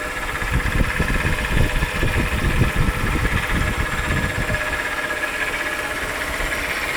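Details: 2001 Chrysler 300M idling with a used replacement engine that has rattled for 3 years: a quick uneven rattle. A stethoscope points to the right-side timing cover, but by ear it seems to come from the right-bank valve train near the timing cover.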